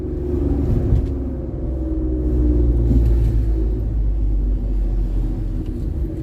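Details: Ford Explorer, warmed up, turbo with VTA-modded bypass valves, after reattaching popped-off wastegate actuator rod: deep loud exhaust rumble builds steadily under load without stumble; boost leak symptom resolved, engine pulls cleanly.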